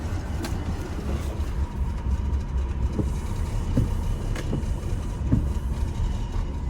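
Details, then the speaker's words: 2000 BMW 328Ci E46 that starts then dies, after cleaning mass airflow sensor and trying without aftermarket part: low uneven rumble with stumbles and thumps, running rough toward stalling; same issue, cause not yet found. "i'm gonna try like this and try to start it up exact same issue"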